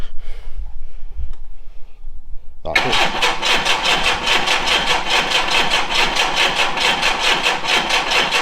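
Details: VW Scirocco Mk2 Tropic with suspected faulty fuel pump, fuel fed directly into the engine by syringe; after quiet fumbling the engine catches and settles into a steady, even run with regular pulse; running fine.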